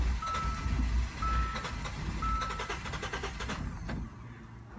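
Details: 2015 Hyundai Santa Fe with difficult and sometimes no starting, and no rpm reading: the starter churns with a low chug while a chime pings about once a second, but it never fires.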